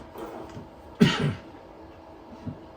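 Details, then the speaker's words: 1964 Ford Galaxie starter solenoid, key turned to start: one crisp solid click as the solenoid engages, letting the big cables pass power so the starter turns; normal. "So the solenoid let the big cables go through, and the starter turned."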